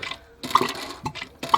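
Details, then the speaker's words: Narrowboat engine oil service with hand extractor pump: pressure drops and wet squirting bursts about every half second as air is drawn; extractor pump sucking air, sump nearly empty. "Not as much pressure on that now. You can hear it squirting because that's the air coming through now."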